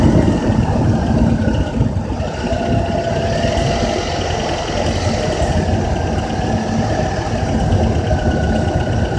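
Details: Honda Accord with K24Z3 engine at 2200–3000 rpm: steady petrol engine hum with a faint metallic rattle riding over it; source not identified.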